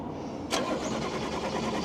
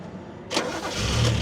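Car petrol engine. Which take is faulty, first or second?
first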